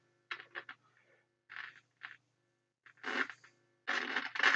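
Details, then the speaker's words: Restored Rolls suitcase record player, first power-up after rectifier check: irregular bursts of scratchy crackle over faint mains hum when turning the volume, a dirty scratchy volume potentiometer, to be cleaned with contact spray. "scratchy volume control. Scratchy pot."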